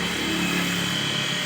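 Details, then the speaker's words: Water pump motor after its worn bearings were replaced: steady, even hum with a constant high whine, no grinding or rattle; normal motor run after repair. "तो यह इसकी अब की आवाज है"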